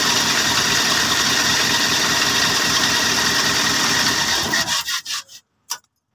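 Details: Mitsubishi L300 diesel that is sometimes hard to start cold in the morning, after the glow plug heater wire regained battery current and its relay was refitted: starts and idles with even, steady clatter until shut off; normal running.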